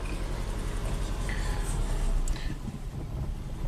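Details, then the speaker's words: 2008 Subaru Legacy 2.5 SOHC with junkyard replacement engine (car 164,000 miles), at idle: uneven, lumpy idle with irregular low thump and shaking, smoother with load or higher rpm; cylinder 4 misfire from low compression, leak-down shows leaking exhaust valves. "crazy it shakes pretty bad so you put under load it gets smoother if you raise the RPMs you press the gas pedal see the check engine lights flashing it's not happy so I'm suspecting a compression problem"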